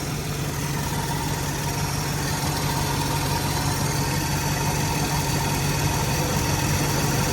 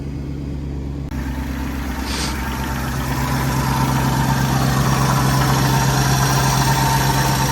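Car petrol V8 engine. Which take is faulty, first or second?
first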